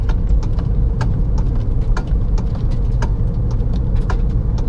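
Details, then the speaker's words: Kia Forte, low-speed driving while steering left and right: sharp irregular clicks and knocks over low engine rumble, worsening over months, from a worn electric power steering motor coupler/bushing. "Yep, so this is the clicking sound, which is pretty irritating. It's ruining my driving experience."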